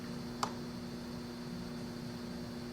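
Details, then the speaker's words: 1991 Chevrolet S-10 driver's power window motor, 22 years old, under power: one sharp click with no spin-up; motor stalls though not locked, commutator fouled by melted gooey seal. "you might have heard the motor click you know that clicking sounds like the motor might be locked but it really isn't because it was just turning a few seconds ago"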